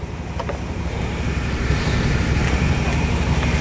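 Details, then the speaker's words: 1998 1500 pickup V8 just after installing a brand-new distributor and setting the timing: deep, steady idle with an even low rumble and no misses or knocks. Sounds like a different truck; normal idle. "we got a brand new distributor in here and she sounds like a total different truck now this is what she supposed to do"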